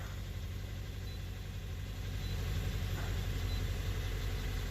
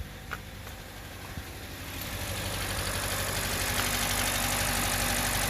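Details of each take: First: 2017 Hyundai Elantra, 129,000 miles, after ignition coil replacement for P030x misfire, codes cleared and light out; low, even idle rumble with steady beat, no stumbles or shaking; normal idle. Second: 2017 Hyundai Elantra, check engine light and code P0301, which had ingested flood water and stalled a month earlier: an uneven, lumpy, shaking idle from a cylinder 1 misfire caused by a faulty ignition coil.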